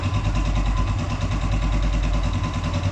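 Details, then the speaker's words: Blackbird 250 single-cylinder motorcycle with only 6,000 km idling with a steady, even thump; engine sounds fine, no strange noises. "Entonces el motor se escucha bastante bien ya ningún ruido extraño que apenas tiene 6000 kilómetros"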